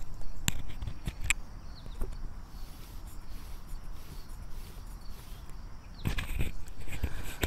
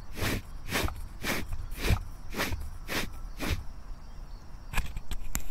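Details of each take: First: Diamond wire saw guide wheel, a common Chinese-made part, spun with the microphone held close: the good wheel gives a quiet, low, free whir with no grinding or rumble, unlike the failed-bearing wheel, heard alongside a few handling taps. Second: Diamond wire saw guide wheel from China with under ten hours of use, spun by hand with the mic held close: a rough, gritty rush about twice a second from failed bearings; the bearing had also spun on the shaft.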